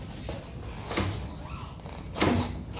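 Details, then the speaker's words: Lexi S 125 scooter with sub-tank rear shocks, riding over rough road especially with passenger: three hard metal-on-metal clunks about a second apart as the too-soft rear shock bottoms out over bumps or potholes. "Jadi saat kita pakai, apalagi boncengan gitu, kalau misalkan kita hajar atau nggak sengaja gitu, ada jalan jelek, kadang suka bunyinya itu kayak besi ketemu besi gitu, kayak gini nih, nanti bisa didengar"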